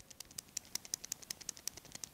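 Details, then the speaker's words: New ball bearing for a 1965 Malibu's Muncie four-speed transmission (4th gear cruising noise), turned by hand: light, sharp metallic ticks about eight per second showing excessive play, worse than the original bearing, which will be reused. "hear that there's a lot of play in here I'm really disappointed in this bearing really uh is not as good as this old one"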